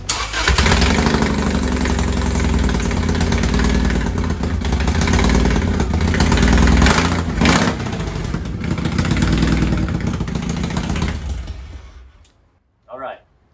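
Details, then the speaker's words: 1998 Subaru WRX Type RA: deep, loud, lumpy Harley-like rumble from an exhaust leak at rusted, damaged exhaust manifold headers, before repair. "this Subaru owner right here has experienced rust on his exhaust manifold, which has caused damage and a leak,"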